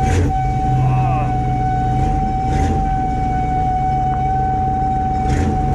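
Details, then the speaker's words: Chevy K5 Blazer, 350 5.7L V8, 4-inch lift, first start of the year after sitting; loud steady whine over engine from rear differential, only in drive and reverse; owner suspects it needs oil, cause unconfirmed. "oh that rear end man that almost hurts my ears to listen to that"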